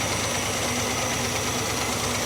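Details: 1967 Plymouth Barracuda V8 with valves not yet lashed: steady idle with an even beat and only slight roughness, now running on all eight cylinders. Still a bit rocky; plugs and leads are suspected. Normal idle.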